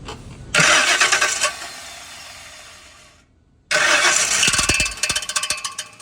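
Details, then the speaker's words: 2006 Ford F150 at engine start; harsh metallic rasp as it cranks and catches, from torque converter bolts rubbing the flex plate. "Apunta que este ruido viene de aquí, de lo que viene siendo el flex plate."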